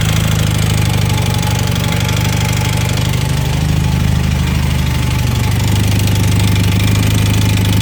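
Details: 1980 Honda CM400T twin at low idle: loose, uneven ticking knock at roughly three or four per second; engine noise, source unclear.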